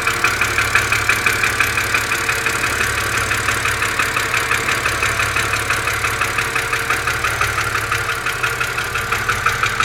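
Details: BMW Z4 2.5si at cold idle: crisp, sharp metallic ticking near three per second on top of the engine over a smooth idle; cause undetermined.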